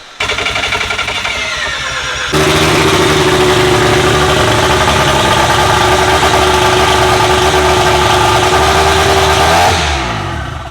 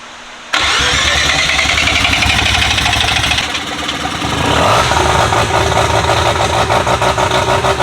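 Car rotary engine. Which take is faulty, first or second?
first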